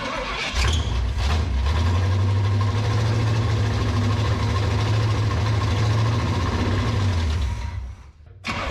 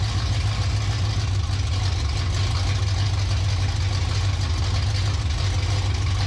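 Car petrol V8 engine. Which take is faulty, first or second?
first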